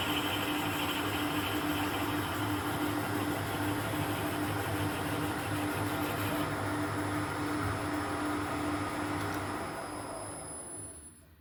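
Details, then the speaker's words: Mill boring head holding an HSS end mill with a 12 mm shank, cutting on one flute with cutting oil, on a radius dresser part: steady spindle hum, faint even tone, rhythmic cutting swish about three per second, no chatter. Clean, smooth boring cut. "Well, that seemed to bore out rather nicely actually. We might have a winner here."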